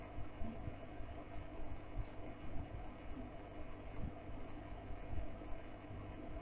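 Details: OASE Biomaster 850 Thermo aquarium canister filter: low, steady hum with no rattles or surges. The owner had noise issues; a phone app measured 40–50 dB. Normal running.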